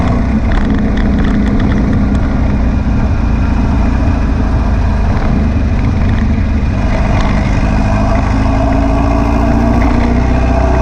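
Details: Air-cooled VW beach buggy after clearing a blocked idle jet in the driver's-side carburettor and rebalancing the carbs: a steady, deep note with no popping or misfire, idling a touch fast but evenly.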